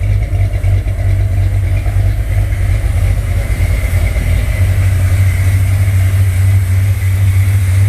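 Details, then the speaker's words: 1968 Corvette with 383 engine, XL DFI distributor and crossover, idle on default sea-level program: deep steady V8 burble with slight rhythmic lope from the cam, less lopey than with the carburetor; runs cleanly, healthy. "It's not lopey like it was with the natural carburation, but you can still hear the cam. Still fairly lopey."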